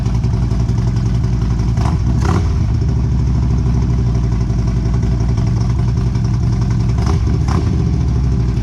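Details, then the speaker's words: 2011 Harley CVO Road Glide after catalytic converter gutted, exhaust with no baffles: loud deep loping V-twin idle with throttle blips, raw and unmuffled; owner plans to find or make baffles. "well it's certainly loud we're going to have to find some baffles I think or make some"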